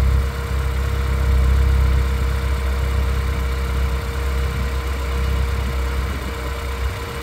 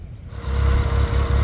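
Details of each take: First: 2009 RenaultSport Twingo RS 133 after new coils, spark plugs and fuel pump: petrol engine on warm-up idles with a steady, fairly even low rumble, no obvious stumble; idling better than before. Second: 2009 RenaultSport Twingo RS 133 on warm-up idle after new coils, spark plugs and fuel pump: settles into a low idle with a slightly uneven, stumbling beat and the engine rocking; running better but still slightly misfiring.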